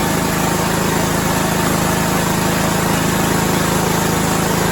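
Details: Six-year-old John Deere lawn tractor single-cylinder engine: runs smooth and even at a steady idle with a regular low thump, no misses or knocks; normal idle.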